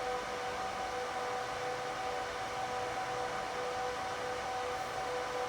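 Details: HP ProLiant DL360p Gen8 server during slow POST after power-on: steady loud rushing whir with two fixed tones holding throughout; fans at full speed at startup, normal.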